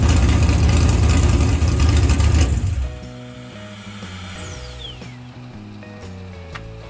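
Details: Stock 6.0L LS V8 with 243 heads, carburetor and new BTR Stage 5 drag cam, just installed: loud lumpy idle with deep choppy exhaust beat runs a couple of seconds then fades; no fault noise, normal idle.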